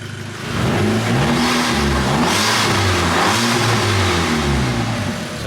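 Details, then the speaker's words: VW Golf GTI Mk5 after engine rebuild, idling then free-revved: smooth quick rev settling back, even pulses with no knock, misfire or rattle; engine running okay. "yeah it does seem to be running okay and i'll even give it a little rev"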